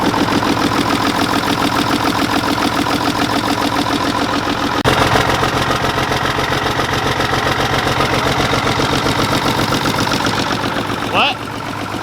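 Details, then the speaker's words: Mack diesel truck after revival with old bad fuel in the tank: an uneven, loping idle of about 3.5 pulses a second with one cylinder dead, as number six gets no fuel from the injection pump, which needs rebuilding; oil pressure is about 55–60 psi. "all on the injection pump all them but number six so it's going to have to be rebuilt no matter what"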